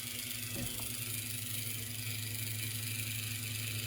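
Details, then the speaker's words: HO scale AHM Rivarossi Cab Forward steam locomotive gearbox after a thrust-washer fix, bench-tested with a candidate motor: smooth steady whir with even hum, no knocking or binding; gearbox repair worked and it runs normally. "have to say that whatever we did for the uh with those thrust washers in there, it did work."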